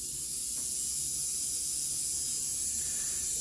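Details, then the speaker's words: Rewound Athearn Jet 400 HO-scale model locomotive motor on 12 volts: thin, even high-pitched hiss at a good steady speed with no catching. Torque is noticeably higher than before, though still below a modern can motor; the magnet may have weakened with age. "It's 12 volts, and I'd say that's running at a pretty good speed. Still not as much torque as a modern CAN motor, but I can feel that it's definitely quite a bit more than before, which is good."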